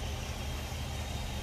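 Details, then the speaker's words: Mercedes W126 C126 coupe after replacing plugs, wires, cap, rotor, fuel filter, air filter and ICV hoses to chase a misfire: even, steady, smooth low idle with no stumbles; normal idle. "it's still edling nicely as it did when I first bought it"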